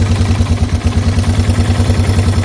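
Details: Yamaha TW200 idling after repair of a lower-case knock on the flywheel/stator side, caused by a sprag-clutch starter gear with broken mounting bolts that was re-tapped and reassembled. Even single-cylinder thump about eight beats a second, no knock; healthy.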